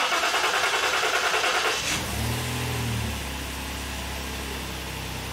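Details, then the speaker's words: Lincoln MKT after a new Ford fuel pump was fitted to fix lean codes P0171/P0174. With a fuel-pressure gauge attached, it cranks briefly, catches cleanly and idles smoothly, holding 60 PSI at idle. "so right there as you can see the engine is running and our fuel gauge went up to let's see a fuel gauge went up to 60 PSI so this is at idle right now"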